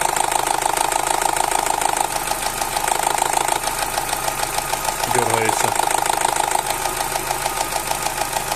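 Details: Opel Z16XER petrol engine, cold, about four years of worsening camshaft phaser gear knock: hard, fast knocking about three per second at idle with stumbles and dips; low oil pressure (1.1 warm), owner suspects phaser control valves.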